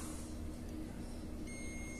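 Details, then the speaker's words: LG microwave control board that won't heat, relays not activating, shorted Zener diodes and failed transistors: multimeter continuity beep comes in and holds steady on the other relay's pin position; short across relay contacts. "pero si colocamos los Pines en este donde iba la otra el otro Relay miren tengo corto el otro Relay"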